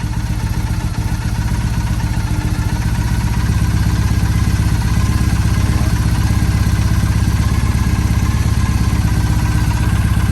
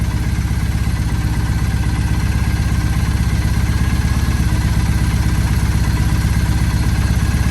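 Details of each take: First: 2007 Triumph Bonneville T100 twin during carb sync readjustment with the SynX tool, adjusted slightly too far: uneven, lumpy idle with a loping beat of about three pulses a second instead of a smooth patter; carbs out of sync. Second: 2007 Triumph Bonneville T100 twin after carb synchronisation with the SynX tool: even, steady twin-cylinder putter at idle with a clean rhythm and no stumbling; the carbs are balanced and it runs healthy.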